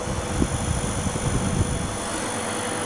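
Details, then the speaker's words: Homemade refrigerant recovery machine, compressor starting as the access valve is opened slowly and refrigerant begins to accumulate: even low hum with a steady rumble, no knocking or rattle; running normally. "¿Se escucha el ruido? Ahí está empezando. Lo pongo así para que vea si se escucha el ruido. El compresor."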